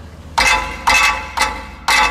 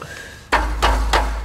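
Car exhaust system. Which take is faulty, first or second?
first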